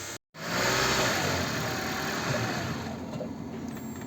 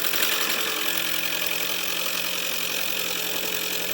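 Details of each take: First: Toyota Prius (20/30) after replacing failed injectors and maintenance: engine starts softly and idles evenly, no rattle at startup and no more rattle between gearbox and engine, no misfire; runs without problems. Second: Toyota Prius hybrid start with injectors previously found faulty, microphone near engine: uneven idle with loose knocking rattle about four times a second; cylinder missing and possibly the flywheel damper between engine and transmission clattering.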